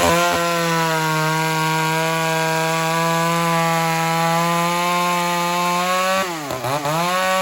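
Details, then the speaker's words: Ported Homelite Super XL-925 82cc two-stroke chainsaw fitted with a vintage stack muffler instead of the stock one, at full throttle: steady high-pitched scream at constant revs, briefly sagging then recovering; runs strong, with more RPM than stock. "Definitely going to sound different, but this should at least tell us about how many RPMs this saw is going to pull."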